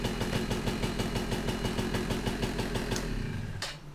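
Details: 2004 (owner believes) Polaris Outlaw 50 two-stroke after repairing a starter that only clicked: the starter clutch/sprag gear was gunked up and was cleaned; fires up with crisp, regular popping at an even idle, no stumbles; normal idle.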